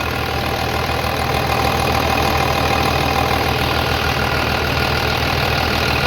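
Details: 3588 at 7,338 hours, idling on a freshly rebuilt engine with new cylinders and pistons; steady, even, low idle with no knocks or misses, very quiet; a small line leak was found, to be tightened; normal diesel idle.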